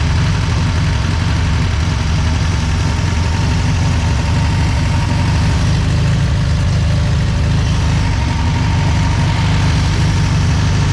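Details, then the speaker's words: 1963 VW Beetle ragtop sitting about 27–30 years, flat-four running again after the fuel pump was fixed; deep, uneven, loping rough idle, not running great. "it's not running the greatest but it's running the fuel pump was the issue for its stay running again"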